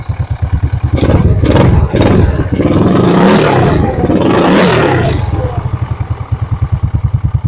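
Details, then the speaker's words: Yamaha Mio Soul scooter after CVT slider replacement, belt now riding up properly: even idle, quick blips and two longer revs rising and falling cleanly with no slipping noise; normal CVT operation, road test to follow. "Okay. So yan, okay na ho. Umano na ho yung belt. Umangat na po mga kadeway."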